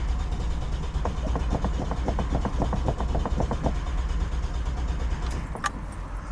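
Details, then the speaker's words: 45-year-old Vauxhall Royale 2.8 L coupé with rebuilt engine on its first test drive: uneven, weakening firing pulses, then it dies out; fuel starvation as the fuel system clogs with rust from the old tank. "And we've got no tools with us cuz we're idiots. Sounds like fuel starvation."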